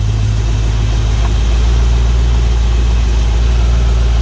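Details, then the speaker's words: Chevy Suburban: deep, steady, even idle rumble with no stumbling or misses; runs great. "but yep she's running great sounds good God I love that"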